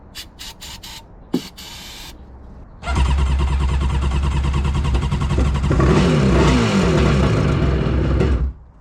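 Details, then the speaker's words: Two-stroke 787 engine personal watercraft that sat for a few years, cranked after a little oil was added: it clicks, fires and runs rough and uneven, pulsing as revs climb; compression is only 100 PSI front versus 150 rear. "sounds like a two- [Music] stroker uh I don't know if you guys hear that but we'll do a quick compression check on this oh only 100 PSI up front"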